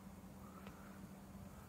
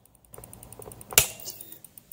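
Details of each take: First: EVGA BQ ATX power supply fan reassembled after its clicking was fixed by removing a plastic molding flash that caught on the stator: a soft, steady hum with no ticking or rubbing. Quiet, normal fan running after repair. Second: EVGA 800W BW ATX power supply fan coasting down: sharp regular clicks that slow with the fan, occurring only in some orientations; a mechanical fault, a plastic flash on a badly molded part catching on the stator.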